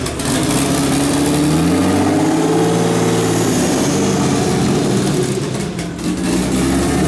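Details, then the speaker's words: Turbo BMW E36 (72mm KKK turbo, KDFI ECU) just started, cold: idle rises and falls in a slow hunting pattern; owner attributes idle surge to a vacuum leak, says it calms once warm; coolant low, suspected air bubble. "Don't mind how it's idle surging right now. Obviously there's a vacuum leak, but it does calm down once it warms up."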